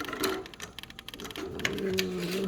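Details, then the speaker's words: Siemens fridge: fast uneven plastic clicking and rattling over low hum, plastic parts rattling, triggered by running compressor vibration. "anlass ist der kompressor brief natürlich aber was ist die ursache hoch klappert das plastik plastik klappern"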